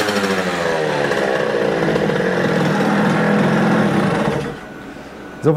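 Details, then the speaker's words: Rieju MRT moped, AM6 two-stroke after owner's full rebuild, air filter cover and filter removed, revved: rising buzz then sag and choke off; unrestricted intake air bounces off reed valve, engine bogs. "Kiedy wyjąłem ten filtr powietrza silnik się wkręcił na obroty a potem spadł bo pęd tego powietrza spowodował to że zaczęło się odbijać od zaworu membranowego"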